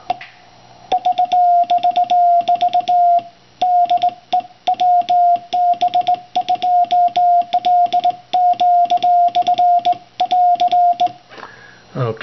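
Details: Single-6V6-tube Ameco AC-1 clone (oscillator as power amp) keyed with a genuine FT-243 crystal: a steady ~700 Hz Morse tone holding pitch with no chirp; clean keying.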